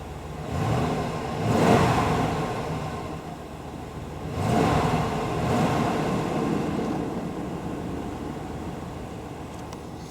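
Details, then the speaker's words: Half-ton part-time 4WD truck with a 5.7 L engine and about 3,000 km, recorded through the window. It catches quickly, gives a short blip, then settles into a steady, even idle with a smooth rumble. Normal start and idle, starts really easily. "there we go seat belt warning went out starts really easily"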